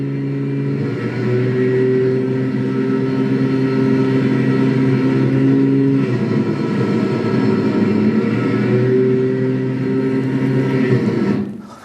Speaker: So that's piston damaging detonation on a motorcycle. I wouldn't drive too long that way because it's going to cause piston ring damage, damage at the top of the piston.